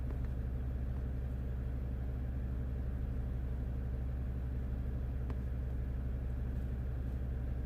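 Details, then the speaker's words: 2015 Jeep Grand Cherokee Overland, Quadra-Lift closed air suspension, compressor already replaced, faults C156E and C15D9: compressor runs loud with a steady drone but the vehicle does not rise, due to low system air mass. "oh no now the compressor is running I can definitely hear the compressor running quite loud the car is not really moving"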